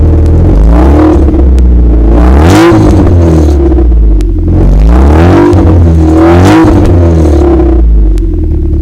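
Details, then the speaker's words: Vauxhall Cavalier X20XEV 16-valve, ticking sound, after rear silencer replacement and before exhaust manifold gasket replacement: repeated clean throttle blips, pitch rising and falling smoothly with no rattle or blowing; sounds smoother, normal revving. "I must admit when I revved it up just a second ago it sounds just a little bit different sounds smoother in a roundabout way"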